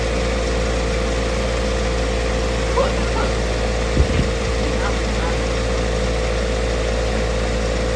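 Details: Ford Fiesta ST150 with a newly fitted replacement engine, warmed to temperature with the radiator fan kicked in and air bled from the cooling system: steady, even idle hum for eight seconds with no misses or surges. Normal idle.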